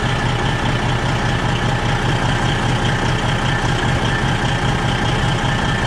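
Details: Freightliner diesel truck at heavy idle with strong exhaust smell in the cab: steady puffing pulse about two or three a second under the rumble; exhaust leak suspected at the front flex pipe, checked with soapy water.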